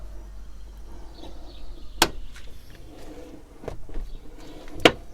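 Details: Toyota Corolla (E150), door opening after lubricating check strap guide with Litol-24: two sharp single clunks as the door swings through its stop; worn rollers in the door check strap knocking, replacement may be needed.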